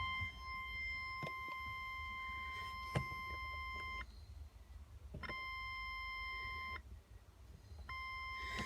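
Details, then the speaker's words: Land Rover Discovery 200Tdi: thin, steady high-pitched buzz in blocks of a few seconds as the lights are switched on, engine running or not; owner suspects a dodgy light switch, electrical fault unconfirmed. "lights come on there's a buzzing sound and it does that with the engine on or anything"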